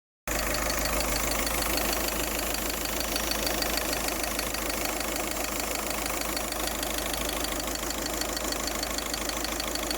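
Steady idle with a constant airy hiss riding well above the engine note, a leak-like hiss of unknown cause.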